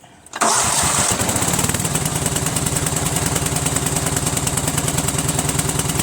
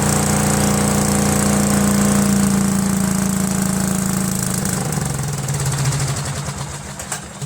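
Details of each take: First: Cub Cadet lawn tractor with a Kohler Command single-cylinder engine that normally starts hard and runs rough, here with the fuel pump bypassed and gravity-fed from a separate tank. It starts at once and idles steadily and evenly, pointing to a bad fuel pump. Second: Cub Cadet garden tractor, Kohler Command horizontal single-cylinder engine: runs unevenly, sagging and fading until it dies within about eight seconds; fuel starvation, with the mechanical fuel pump's actuator tip found worn by camshaft contact.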